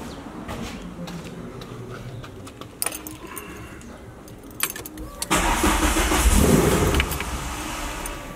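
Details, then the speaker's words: MK1 VW with swapped 2L 8v engine, first start after oil priming, third attempt: jangling, then a short steady crank of a couple of seconds that never catches; retarded ignition timing, fixed by turning the distributor to advance it. "This is the third attempt. We're just going to loosen and turn the distributor a bit to advance the timing."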